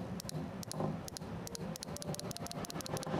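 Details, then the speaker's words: 2016 Holden Commodore V8, fuel injector number seven removed and bench tested: crisp sharp ticks in quick pairs, clicking away, injector okay. "okay that's number seven injector you can hear that clicking away so that injector is okay"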